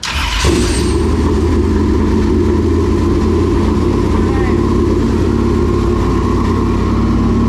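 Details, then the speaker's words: New engine in a dirt late model race car, restarted after a fuel adjustment while fuel fills the pump: it catches quickly and runs loud, even and steady with no knocks or misses; it sounds healthy. "i think they both sound great they both say they found like they sound like first and second place"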